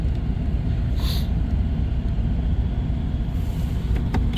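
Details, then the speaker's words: 1997 Dodge Caravan LE, after another melted coil pack and a third brand-new coil pack fitted: low, lumpy idle with uneven beat and stumbles, check engine light flashing; engine still misfiring, cause unknown. "huh that's weird sounds better though make sure the wires are all on there right yeah still sounds like I got a Miss"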